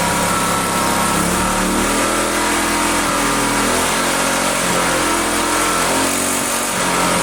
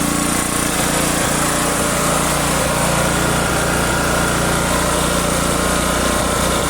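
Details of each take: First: Own generator neglected about a year, restart attempt: small engine runs loud but uneven, surging and stumbling; owner suspects spark cutting out intermittently, unconfirmed; oil level possibly low. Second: Neglected generator stored about a year, running with choke on: small single-cylinder holding a steady, even, rapid putter with no misses or knocks; runs only on choke, carburetor needs cleaning.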